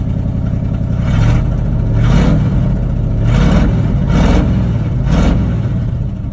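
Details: 1979 Chevrolet C30 square-body truck: a steady V8 idle with five clean throttle blips that rise and fall smoothly. Normal idle and revving.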